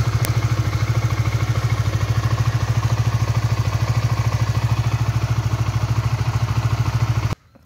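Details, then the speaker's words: Honda 150 cc single-cylinder motorcycle idling after a 3 to 5 minute warm-up on new synthetic-based oil; even thumping idle about three beats a second with no clatter or misses; smoother than the previous Shell Advance oil at 1700 km. "Nah suaranya lebih halus ya Dari kemarin waktu pakai sel Advance di 1700 km"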